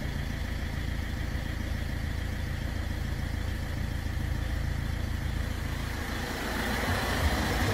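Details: Ford Fiesta 1.4 TDCi diesel after heavy maintenance, idling after a restart while coolant is bled: steady, even clatter with no stumble or hunting; healthy, clean running.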